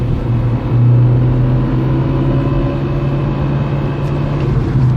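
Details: Peugeot 307 1.6 16v gearbox: steady low drone with a constant hum near 120 Hz, unchanged after a gearbox oil change that improved shifting; owner suspects the thrust bearing, unconfirmed.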